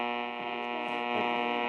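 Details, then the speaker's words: AM radio on a frequency with bad buzz, during an experiment with a cheap loop AM antenna to improve reception: steady even buzzing hum with no rhythm under the station as interference; antenna positioning reduces it somewhat. "aybe all right so you can hear the buzzing the [Music] [Music] of fight it noise"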